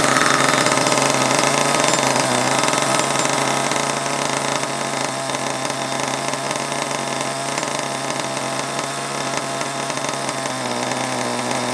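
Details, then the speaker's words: HPI Savage 21 nitro RC monster truck, old fuel of unknown nitro percentage, at idle: buzzing engine with revs sagging and note deepening, faint tinging, loading up with oil or fuel; idle too low, heading toward a stall. "ah i knew it was getting i knew it was getting too low you can always tell when it's going to do that"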